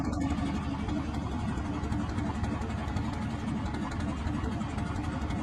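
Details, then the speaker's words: Rebuilt car engine after valve adjustment, which followed an unstable idle: steady even idle with smooth low rumble, no shaking or misfire; normal idle. "After adjusting the valve, it is very obvious. The engine is not shaking"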